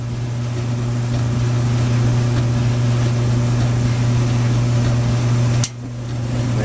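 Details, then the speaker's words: Whirlpool Duet gas dryer after replacing the bad igniter and gas valve solenoids: burner lit, steady even low hum with no knocking or scraping, one brief dip near the end; dryer running normally again. "we go. We got fire. And so now it's working again."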